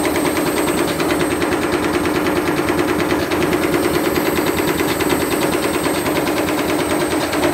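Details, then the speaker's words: Candy Grand'O Vita GVCD91CBB tumble dryer with universal washing machine motor at raised power: fast heavy banging about twice a second over harsh roar, belt slipping; drum spins too fast, bashing and tearing off white plastic pieces. "you could hear it bashing around and it seems to be tearing some plastic off there"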